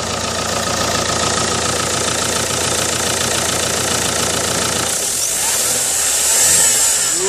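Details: Vauxhall Astra 1.7 CDTI, revved: rough diesel running with hissy airy rush until revs drop, bubbling at the turbo manifold joint, heavy smoke; turbo boost leak.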